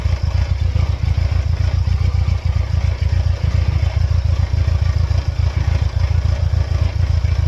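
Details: 1999 Mercedes-Benz C230 Kompressor (W202) with a periodically flashing check engine light, stalling when the throttle body or sensors are unplugged: low, lumpy idle with uneven thumps about three or four times a second and a shaky rhythm; the engine is running rough.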